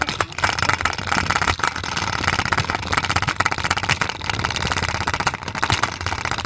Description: Play-doh container is loud because it's shaking and the Play-doh is unbalanced.